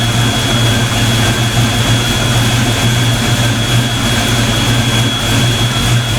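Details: Mustang ("Black Stang") V8 on first fire after fitting bigger 24 lb injectors, idling while warming up before throttle adjustment; deep steady rumble with a constant high whistle, even and smooth, sounding healthy at normal idle.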